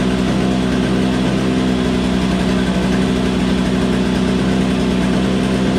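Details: Troy-Bilt TB22 two-stroke weed trimmer with new carburetor, after refuelling with 50:1 TruFuel, good magneto; runs steady and even with a constant buzzy note, no misses or surging; it just needed gas.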